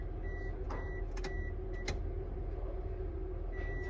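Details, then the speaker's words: Key on with the crankshaft position sensor unplugged: no fuel pump hum at all, only background noise and a beeping chime; the fuel pump does not prime without the crank sensor signal. "so now we just have the crankshaft position sensor unplugged and the fuel pump will not Prime"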